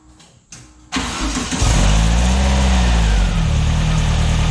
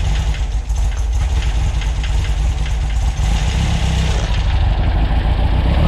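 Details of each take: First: Newly built VW air-cooled 2332cc stroker (84mm crank, 94mm pistons, Engle FK42 cam, dual Weber IDF 44) in a 1966 split bus, first start: catches, then runs loud and uneven with wavering revs and an unknown noise. Owner suspects timing or carbs are off. Rough running. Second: New 2332cc VW air-cooled stroker flat-four (SCAT 84mm crank, Mahle 94mm pistons, Engle FK42 cam, dual Weber IDF 44s) in a 1966 split bus, running after carb adjustments during break-in: steady, even, throaty exhaust beat with no misses.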